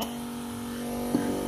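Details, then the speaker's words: Sui gas compressor (gas pressure pump) motor after repair. Smooth, even hum at a steady pitch with no rattle or grinding. The noise heard before the repair is completely gone. Normal running. "जैसा कि आप देख रहे हैं, हमने इसको जब on किया तो इसकी आवाज़ बिल्कुल बंद हो गई और इसमें कोई भी शोर नहीं है।"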